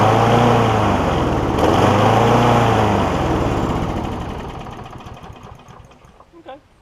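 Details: John Deere JA60 push mower's first run after freeing a stuck valve: the single cylinder fires at a steady fast beat for a few seconds, then fades and dies, starved of fuel by a blocked carburettor.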